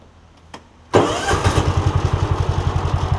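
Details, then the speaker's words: John Deere Gator after replacing the Kawasaki ignition coil, restarted after a one-mile ride and a short rest; short crank catches at once, settles into an even steady idle thump; clean quick start. "awesome that's perfect just an ignition coil guys disguise itself though any everyday person would have thought that was a carb issue"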